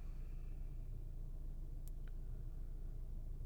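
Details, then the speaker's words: Honda Civic (2016–2021) after throttle body cleaning for rough, bouncy idle: quiet, low, steady rumble as the idle drops lower while warming up, no shake or vibration anymore; normal warm idle. "so guys so while the engine is uh you know warming up you can see the the idle is going down it's idling a little low compared when we start it up"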